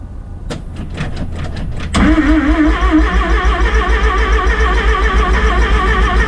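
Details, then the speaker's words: Rotary-engined van first start after rebuild: about two seconds of cranking, then catches cleanly into a fast, even buzz with a brief rev; healthy, a belt was noted melting. "she's alive he's alive the belt's melting the this is pretty crazy"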